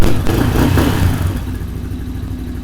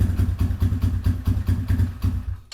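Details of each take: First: Small single-cylinder carbureted engine, choke off, cold, pilot air screw still to be tuned: revs up, settles to steady even idle, picks up cleanly without stumble; normal running. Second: Small carbureted quad engine, cold, at night, barely runs on choke, needs throttle feathering; uneven lumpy pulses before dying; clogged pilot jet, later found full of green corrosion from dried fuel, pulling fuel from another circuit.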